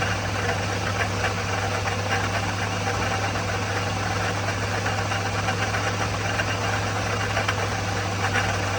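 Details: '04 Toyota Matrix XR 1ZZ-FE, 5-speed manual, 174,400 mi, burns ~0.5 qt per oil change; at operating temp, steady idle with light fast metallic rattle, noticed ~1500 mi earlier; rattle of unknown cause, loose or worn part.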